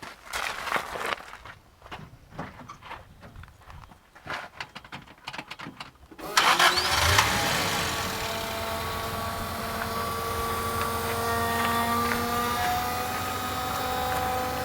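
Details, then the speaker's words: Daihatsu Rocky with fuel leak from aftermarket fuel filter, microphone by the wheel near the fuel pump: after engine catches, a steady high-pitched whine louder than the engine holds over idle; loud failing fuel pump, vibration felt in hard lines. "do you hear that that is ridiculous it's louder than the engine itself the high pitched wine"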